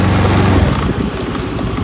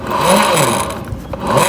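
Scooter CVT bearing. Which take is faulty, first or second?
second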